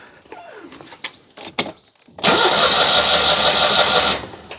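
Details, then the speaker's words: Citroën 2CV that conked out: starter spins the engine evenly about three turns a second for two seconds, but it never fires; spark tester between coil and HT lead shows no spark, electronic ignition unit or coil suspected. "um I'm not seeing anything at all there there we go we've got not one sausage very odd so there's not much of it can have failed here it's the electronic ignition unit or it's the coil here"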